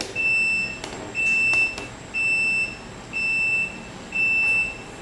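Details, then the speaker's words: Solax Transformer automatic folding mobility scooter unfolding, button pressed twice after the safety stop: a clear high beep about once a second, five half-second tones, over a quiet room. Normal unfolding beep. "and you gotta hit it again that's just protection you always have to hit it twice when it's stopped you hit it again and now it's unfolding"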